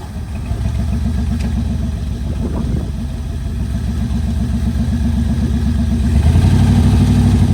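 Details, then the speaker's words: 1973 Mercury Montego GT, 400 cubic inch Ford V8, C6 transmission, sat ten years: low, uneven lumpy idle near four pulses a second, stumbling as revs rise; carburettor accelerator pump squirting fuel straight out, owner suspects he messed something up. "forward the accelerator pump is just squirting fuel straight out I don't know crank it over again"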